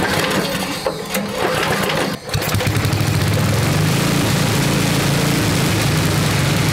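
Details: 1979 Toro 826 snowblower, 8 hp Briggs & Stratton, manual pull start, after carburetor cleaning: after a pull and brief stumble it settles into a fast, fairly even putter; runs strong and started right up, but not idling, owner says out of adjustment.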